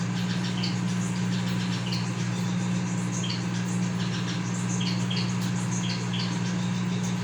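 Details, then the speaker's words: Consul CM020 20-litre microwave after magnetron replacement (previously loud noise and no heating), heating water for one and a half minutes, water gets very hot. Constant low mains hum with steady buzz, no crackle or rattle; normal operation. "Eu tô bem quente mesmo tá funcionando normalmente"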